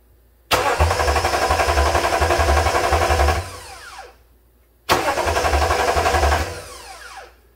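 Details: 2009 Toyota Tundra 5.7 after the starter was replaced to fix an intermittent no-crank, tested with the battery cable temporarily reconnected. Two quick, even cranks; each time it catches at once and runs smoothly, a normal crank and start.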